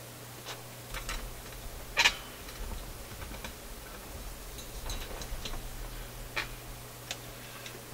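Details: Philips F3C 30A console stereo tube receiver while de-energizing sections to isolate the fault: sharp irregular clicks and pops over a steady low hum, traced to a bad connection at a large connection point; speaker crackle from loose connection.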